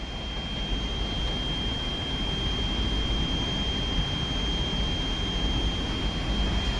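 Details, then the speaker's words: Ender 3 Pro 3D printer fitted with a ChowThink ball screw, gantry moving up the Z axis: steady even motor hum with a thin whine, smooth and quiet with no binding. "Everything's moving pretty good. It's not loud either. You can't hear the ball bearings in the ball screw doing what they do. It's running smooth, man."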